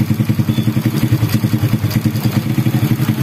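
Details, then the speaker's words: Honda Supra Grand motorcycle after replacing worn cam chain and worn tensioner roller that caused rattling: engine idles evenly with steady exhaust pulses, about seven a second, no rattle; normal smooth idle. "kayak gini suaranya Udah halus kembali ya"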